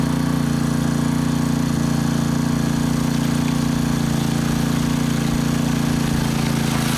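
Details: Honda WX15 water pump single-cylinder engine, unrun for 3 years, choke off while priming; steady, even putter at fast idle with constant low hum, running cleanly.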